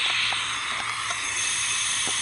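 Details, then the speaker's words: Cylinder leak-down test with the tester in the spark plug hole and the air filter off: a steady hiss of air rushes out through the carburetor while the engine is turned over, showing the intake valve is not closing. "so when i'm turning this engine over that's telling me that the intake valve is not closing"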